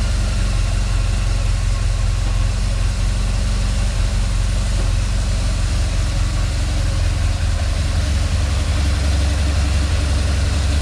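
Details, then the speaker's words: BMW R1200GS boxer engine idling with a loose, uneven rattle near the gearbox and clutch under the low thump, traced via the clutch pressure-plate actuating rod; clutch rattle at idle, addressed by clutch replacement. "yes it's about the rattling noise let's find out from where the rattling noise is coming and which is the cause"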